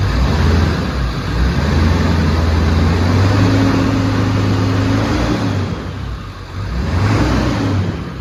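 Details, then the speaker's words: 2000 Ford 7.3L Powerstroke (107k miles) after a KC300x stage 1 turbo swap. Deep diesel rumble with a turbo whistle rising and falling with revs, louder than the original turbo; normal whistle, no compressor surge. "Seems to be whistling more than before. I'm not sure how well you can hear it on camera."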